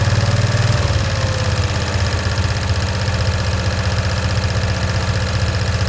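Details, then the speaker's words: 1965 Cushman Truckster, in neutral after sitting over a year: loud, uneven thumping about four pulses a second that never settles or picks up, struggling to rev; rough running, stuck choke suspected. "it's got like it's got a stuck choke valve on so it's not the floral that's the problem it's the choke I pulled the lever on this but it doesn't want to properly accelerate"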